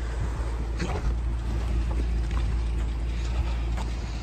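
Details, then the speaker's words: 1960 Rambler Super, original car, 196 cu in OHV straight six, three-speed column manual: starts right up into a low, smooth, quiet idle with faint light ticking; healthy. "three-speed manual transmission on the column starts right up like that idle so nice you don't even hear it"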